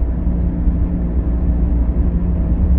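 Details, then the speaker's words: Subaru driving down the road, heard from the rear passenger seat: steady low droning roar from a worn right rear wheel bearing, later confirmed on the lift. "all right guys so here we go down the road I'm in the passenger rear that sounds like it's right rear"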